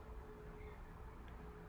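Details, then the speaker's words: 2021 Chrysler Pacifica that had a P0303 cylinder 3 misfire with bouncing rpm and vibration, after replacing the ignition coil and spark plugs, with AC running: low, smooth, steady idle with no dips, surges or shake. Normal idle. "So, now that the new ignition coil, the new spark plugs was in there, it wasn't vibrating anymore and the RPMs were steady, not bouncing."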